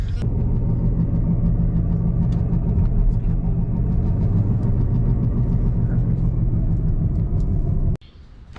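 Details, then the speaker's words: 2006 Chevy Cobalt SS driving: steady low droning growl under road noise that rises with speed, with ABS light and vibration; suspected bad front driver's-side wheel bearing, then replaced. "So if your wheel bearing sounds like this, or your car sounds like, yeah, if your car sounds like this, chances are your wheel bearing's probably bad. Then as she gets faster, as you get faster, the rotational noise increases."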